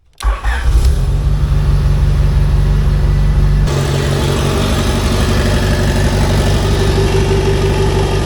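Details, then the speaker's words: AWD D16 Integra test fire after replacing a damaged interior wiring harness with a junkyard 92-95 Civic harness, previously firing only one cylinder: quick catch, steady even idle on all cylinders; now running right. "now it actually runs right now it wasn't running right before we were only getting that one cylinder to fire"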